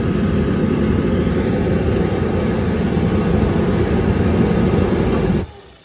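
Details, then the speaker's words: Hot water pressure washer oil burner: steady, even roar of the burner firing cleanly for five seconds, then a crisp cut-off; igniter shuts down correctly, normal burner operation. "And if you can hear it, the igniter actually had shut down when it didn't light, and then it shut down again after it lit. So everything's working exactly the way it's supposed to."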